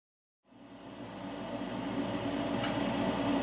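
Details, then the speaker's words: Mr. Heater Big Maxx garage heater under a year old: blower spins up with a loud rough chatter, three or four beats a second, over the airflow; fan not touching the cage, blower motor itself broken. "okay so it is the fan motor this is not touching the cage anywhere it's down in the motor there okay so you know exactly what what it is"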